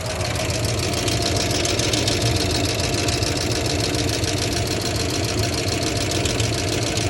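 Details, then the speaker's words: 1990 Ford F-150 XLT Lariat 5.0 V8 at idle: steady rapid tick-knock of about three or four beats a second, heard both underneath and up top, rising with rpm; owner doubts lifters or rod knock. "I thought it was lifters but I don't think it is at this point foreign I don't think it's a rod knock because yes you can hear underneath however you can hear it really well up top too"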